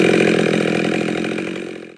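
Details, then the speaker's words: Husqvarna 572 chainsaw with a pop-up piston, no base gasket and a muffler mod, still breaking in, after a high-side tune (it was running slightly fat from a 25-degree tune): high, even buzz at steady revs, slightly picked-up RPM, running cleanly. "you know if you listen to it you can hear the picked up RPMs just a slight bit so it's actually probably done with this little tune and solar adjustment right now"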